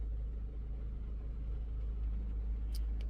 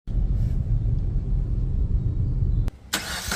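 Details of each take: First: 2021 Maruti Brezza petrol, 50,000 km, after engine overhaul for suspected bent connecting rod: very quiet, smooth low hum with no shake or uneven beat, nothing vibrating; the engine idles so softly it is barely noticeable. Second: 2021 Maruti Brezza petrol, 50,000 km, engine noise noticed for a long time: cranks and catches into a rough, low, uneven knocking idle about four beats a second; mechanic suspects a bent connecting rod, before engine overhaul.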